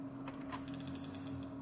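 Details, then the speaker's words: Electric-bike charger on 220 V after replacing its totem-pole drive transistors, drive resistors, UC3845 chip and fuse: faint hum with quick repeated high chirps and no output voltage; the supply keeps restarting because the output side is shorted. "你看啊，它这个声音不对，而且你看它这个输出电压也没有。"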